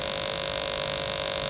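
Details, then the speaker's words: Sega TeraDrive with its bad power supply connected, at power-on: a steady high-pitched whine with a lower tone beneath, unchanging. The failing supply sags under load, the 12 V rail dropping to 10.65 V and the 5 V rail to about 3 V. "So I'll start off with the bad power supply. Hook it in. And we'll start off with yellow on this one. Make sure that's in well. Oh, there's that noise."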